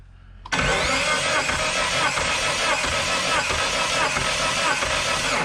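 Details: Galant VR4, stock engine with 16G turbo and chipped ECU, revived after years without a motor: cranks on the starter at a steady, even rate without firing during a compression test, readings even around 100–115 across cylinders.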